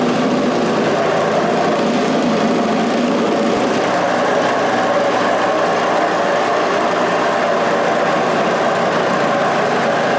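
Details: Scrap-heap snowblower, just fitted with a new carburetor reusing its old throttle shaft and butterfly: a steady, even small-engine drone with no misses, hunting or surging. It runs normally, though the clutch won't disengage.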